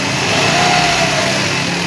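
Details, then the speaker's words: New Mitsubishi Mirage G4 (about one kilometre) whose drive belt failed early: engine held at raised revs with a steady, even note and no belt squeal or chirp; the belt is damaged, the pulley dirty, and a factory defect is suspected. "Wala naman itong ingay, sir. Wala namang maingay. Wala."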